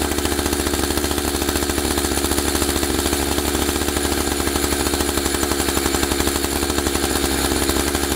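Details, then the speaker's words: Husqvarna 572XP AutoTune two-stroke chainsaw; idle speed deliberately raised until the clutch carries the chain around; fast, even buzz with steady pulsing, no drop to idle; idle set too high, clutch engaging. "let me show you what i was talking about with the idling i'm going to up the speed of the idling until the saw uh carries the chain around and then i'll bring it back so you can see what i talked about right now"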